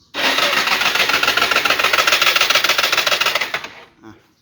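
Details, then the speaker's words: Yamaha Fino scooter that wouldn't start after riding: starter spins engine fast and evenly about three seconds, never catching, no compression; timing chain suspected dropped, bent valves or broken spark plug possible, to be disassembled. "หมุนแบบอย่างเร็วอ่ะไม่มีกำลังอัดอะไรเลยนะครับเสียงอย่างนี้คือรถที่ไม่มีกำลังอัดนะครับ"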